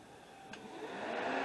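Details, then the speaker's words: 2005 Dodge Caravan that was overheating with fans not coming on, after replacing the bad cooling fan relay and commanding the fans on with a scan tool: a soft airy whoosh builds steadily over a second as the fans spin up, smooth with no rattle or scrape; fixed. "The fans are on. And that's a fix on this."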